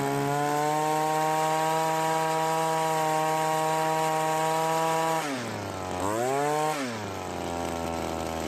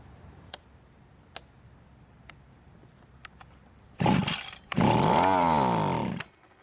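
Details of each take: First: Cub Cadet commercial two-stroke trimmer after carburetor rebuild for hardened metering diaphragm causing hard starting and poor running, carb slightly adjusted: steady high idle, dips and swells on throttle blips, settles lower; runs clean. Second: Cub Cadet commercial string trimmer, hard to start, run on mixed gas: sharp pull-cord snaps, short burst, uneven rising and falling buzz dying off; poor running from hardening carburetor metering diaphragm.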